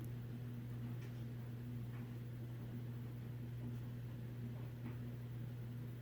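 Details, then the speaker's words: 1950s–60s FASCO 20-inch box fan, thin aluminium blades: free spin-down with low steady hum, faint overtone, no grinding or rattle; healthy motor bearings. "as you can see it has very good spin down and those blades aren't really all that heavy"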